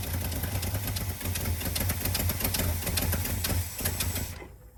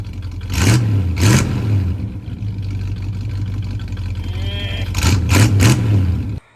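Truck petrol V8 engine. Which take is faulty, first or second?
first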